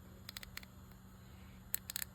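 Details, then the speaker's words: Dolphin 580 helical-gear spinning reel during service: short bursts of light rapid clicks as the rotor turns with the simple pawl anti-reverse engaged; normal noise of this design, which goes away when the anti-reverse is disengaged. "As long as your anti-reverse is engaged, it's going to make that noise."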